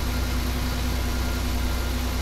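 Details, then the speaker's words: Customer's car that was stalling and not starting, after the fix of a brand-new fuel pump, with current ripples checked by low-amp probe: smooth, even idle with a steady low hum and no stumbles. Normal idle. "you can see everything is running good"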